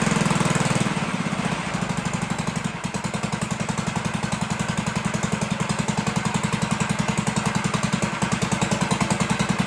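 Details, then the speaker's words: 1958 Gravely Model L single cylinder after throttle hooked up, muffler has big hole, oil checked: steady even popping about three and a half per second, no misses; runs pretty good. "So yeah, there you have it. Runs pretty good, right?"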